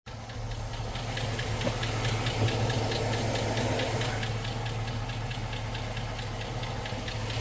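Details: 2006 Chevy Silverado V8 idle: sharp, steady tick about three per second caused by an exhaust manifold leak, not lifter tick.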